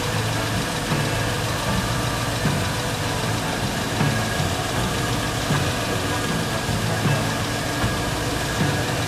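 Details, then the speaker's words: Garage-rebuilt GM LS engine at first start after the oil pump was primed through the pump plug: starts quickly and settles to a deep, steady, even idle with no knocks or misses, about 58 psi oil pressure, coolant circulating in the reservoir. Normal idle. "started up very quickly i've got about 58 psi of oil pressure i can see water in the coolant reservoir moving around so i got enough air"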